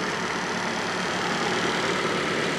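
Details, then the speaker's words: Fiat Panda 4x4 Sisley after fuel injection work. The fuel pump had been overstressed regulating down to 10 psi and was blowing 15 A fuses; now it fully works. Steady, even idle hum with no misses, knocks or hunting. "but anyway there you go guys and girls this fully works now"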